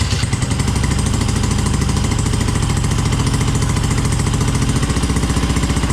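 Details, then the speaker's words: Dnepr boxer-twin motorcycle after resealing cylinder base and pushrod tubes, with a left carb starting issue: low lumpy beat with an uneven pulse, as if one cylinder isn't pulling; owner suspects one cylinder not firing properly. "sounds like one cylinder stands doesn't it so sometimes it feels a bit funny I feel"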